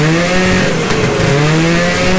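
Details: 1972 Ski-Doo Nordic 440 two-stroke snowmobile after engine rebuild, cold start a week after last run, fuel pumping to return line; buzz rises and falls smoothly with throttle, no stumbles or misfires, running normally.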